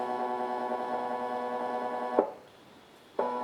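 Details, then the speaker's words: AR3 robot arm kit geared stepper motor, running on its driver during bench testing: a loud buzzy whine at a steady pitch that cuts out for about a second, then returns. It is very loud, especially when not moving. "That one is very loud. Especially when it's not moving."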